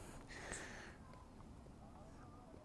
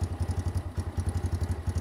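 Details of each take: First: X-PRO 125cc single-cylinder motorcycle, new, after bogging and adjusting the carburetor screw: quiet at first, then an even low thump around three and a half beats a second; runs cleanly after adjustment, though it vibrates a lot. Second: New X-PRO 125cc Chinese sportbike, first start with choke, cold: small single-cylinder thumping about eight pulses a second with a loose clattery buzz on each beat; something vibrating at idle.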